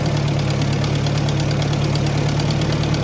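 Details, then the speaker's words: Ford Powermaster 961 tractor idling after a bad starter was replaced with a new ratchet-style Bendix starter: a steady low rumble at about four beats per second with no misses or knocks, idling smoothly and healthy. "Put a couple hours on it. So it's been running good. we got the old Ford going again."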